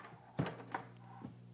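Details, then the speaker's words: Bang & Olufsen receiver on the phono channel with the turntable switched off: a steady low buzzy hum under handling clicks, getting louder when the cable is unplugged; the hum is not from the turntable. Owner suspects a grounding problem, unconfirmed. "the hum gets a little bit louder too so my question is what is this hum is this a grounding problem do you think it has a distinctive sound about it"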